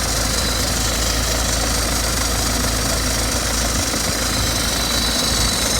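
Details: BMW 320d F30 2012 diesel idling at cold start with a busy metallic clatter and tinny plate-like rattle over a steady low rumble; owner unsure of the cause.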